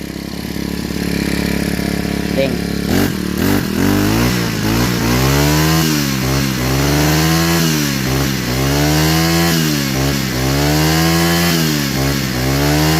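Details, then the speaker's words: Four-stroke brush cutter after fitting a new carburetor (old one worn with age caused hard starting and stalling at idle): one pull starts at once, steady idle, revs up and back cleanly without stumbling; normal start and idle. "หลังจากเปลี่ยนคาร์บูตัวใหม่เข้าไปนะครับก็สามารถสตาร์ทติดง่ายอ่าติดง่ายเดินเบาได้แล้วก็เร่งได้ได้ปกตินะครับ"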